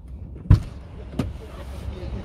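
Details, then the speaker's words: Chevrolet Lacetti driver's door, previously sagging and creaking, now fixed without replacing the hinges: opens with a crisp latch click and soft thump, no creak or seal rubbing. "четко ничего нету двери закрываются тоже кстати хорошо все хорошо"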